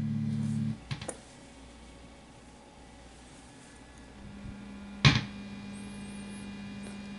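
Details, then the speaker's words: Op-amp Big Muff Pi clone (Punk'n Pi) guitar pedal, probed between C3/C4 or R3/R4 while strumming: after a click a faint steady low hum creeps in under quiet background; unwanted hum in the signal path, source being traced. "well I'm gonna strum the guitar first let's see if I get knows well your nose and as you get here it's kind of loud but if you faintly listen you kind of hear that homecoming in"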